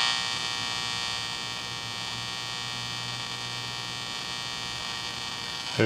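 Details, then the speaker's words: Capehart T-54 radio after replacing some mica capacitors: crackling gone but a steady loud hum with hissy background and weak station remains; owner hopes the remaining mica caps cause it. "real loud hum in the middle here i imagine that'll need some kind of a lining when we're done here"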